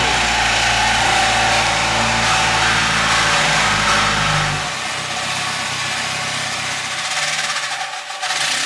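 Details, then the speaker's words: Toyota GT86 with freshly swapped K24 engine on first start, revving then dropping to idle, with an odd rough clatter; owner says not bearings or metal, suspects flywheel hitting something. "Intinya walaupun ada sedikit bunyi-bunyi, tapi itu bukan bunyi-bunyi dari bagian bearing atau metal ya. Bunyinya lebih ke bagian flywheel, kayaknya flywheelnya mentok sesuatu, tapi nanti mau kita coba."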